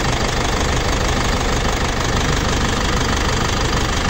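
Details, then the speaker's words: Foton Tornado diesel after repair for overheating and coolant-oil mixing: steady even idle with dense diesel clatter, no surging; coolant no longer bubbling or gushing on start, repair good. "Yan, wala na yan, tahimik na oh. Wala nang bubbles mga paps oh. Wala nang bubbles. So goods na yan."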